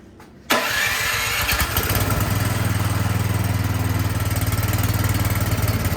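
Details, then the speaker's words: Craftsman snowblower small petrol engine, after carburetor cleaning, primed and started: speed surges up and down (hunting idle); carburetor still faulty and needs to come off for another cleaning. "all right so we still have work to do you can hear it surging that up and down so that tells me something's still going on in the carburetor"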